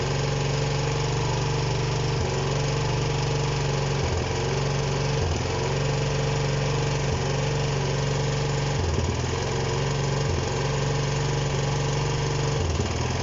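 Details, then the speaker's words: Honda CB125 single-cylinder that won't stay running or rev: steady idle dips and stumbles each time starting fluid is sprayed near the bottom of the head, then stops; owner suspects an intake air leak there. "You hear that difference there every time I spray that? There, stopped. This is what it's been doing though."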